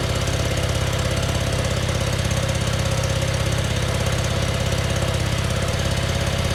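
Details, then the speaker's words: Scag zero-turn mower with a newly replaced engine, fresh oil and new filter, first start: starts right away and settles into a steady, even low putter with no knocks, misses or hunting; healthy idle. "started right away, and sounds like it's running pretty good."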